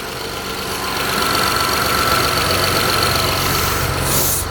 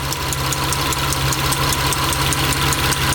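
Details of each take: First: Mitsubishi Eclipse cold idle just after timing belt job, new injectors (vacuum leak was injector #5 seal), coil packs, plugs, throttle body, lash adjusters, intake valve lash set to .008; even, steady idle, smoother than before, no vacuum hiss; warm-up pending. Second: Mitsubishi Eclipse 6G75 engine after reassembly and timing belt work, warming up at idle: sharp even tapping about 2.5 times per second, same as before but louder; source unknown, owner suspects intake and valve covers must come off again.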